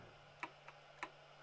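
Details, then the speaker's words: BoxTurtle filament feeder after an AFC Klipper add-on update and restart: faint sharp clicks about every half second over low motor hum, feeder slipping; owner suspects something jammed inside, lanes to be unloaded. "Yeah, there's probably something jammed in here."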